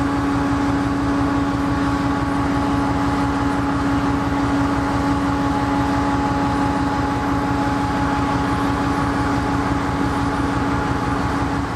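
Heavy diesel locomotive idling with an uneven, lumpy beat of about 88 per minute over a steady low drone, a rough idle of unknown cause.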